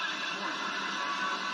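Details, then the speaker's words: Konami Lethal Enforcers arcade PCB (054986A custom sound IC) after first repair: popping gone but sound still staticky; thin, smeared game audio under constant hiss and crackle. Owner suspects a failing op amp. "okay it's better but it's still staticky so that's not that's not going to cut it okay so I'm guessing what it is yeah that sounds pretty still pretty bad"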